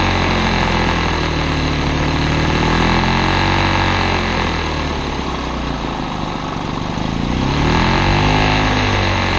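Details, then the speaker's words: Old Lawn-Boy two-stroke self-propelled mower on mixed gas, air filter missing, mowing short grass: pitch swells and sags every few seconds instead of holding steady; running rough and hunting under load. "to take it elsewhere because it is running rough and I don't want it fling all kinds of crap at my house"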